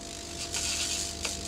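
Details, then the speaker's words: 3mm Corflute insulation test with neon sign transformer at full 15 kV: continuous sizzling hiss with sharp crackling surges as voltage arcs almost a centimetre through air around the sheet's sharp edges, not punching through. "you can see that's uh through the air we've got to break down that almost a centimeter that's very sharp edges there"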